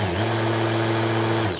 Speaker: słychać takie właśnie stukanie wł tu jest taka zębatka po której się takie kulki kręcą i one właśnie stukają w ten sposób mamy działanie tego udaru